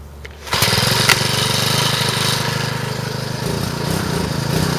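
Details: Troy-Bilt four-stroke trimmer after clutch repair and reassembly, cold on half choke: pulls over, catches after half a second and settles into a steady, even buzz with no misses; running normally.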